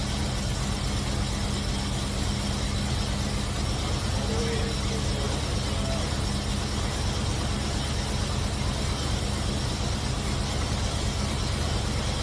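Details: Cutlass V8 after fitting MSD 8225 HEI coil, MSD 83647 module, Moroso Ultra 40 wires and ACDelco R44LTS plugs to cure long-running misfire: smooth, steady idle, no misses or stumbles, with timing set close, carburetor circuit adjusted, vacuum mid-range.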